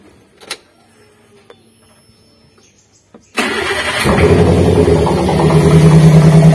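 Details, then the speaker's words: Daihatsu Gran Max petrol van lacking power, starting after a few clicks and running with an uneven stumbling beat, engine vibrating heavily and exhaust note rough; engine misfire from a dead ignition coil. "kurang lebih untuk suaranya seperti dia untuk posisi mesinnya itu bergetar hebat Kemudian untuk suara di kenalpotnya itu tidak halus atau sejak"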